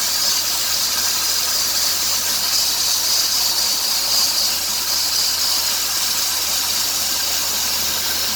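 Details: 2003 Dodge Grand Caravan 3.3L, 372,528 miles: high sharp chirping squeal with hissy edge rising with revs toward 2000 rpm; idler, tensioner and power steering pump replaced without fix; new belt stopped it, worn serpentine belt.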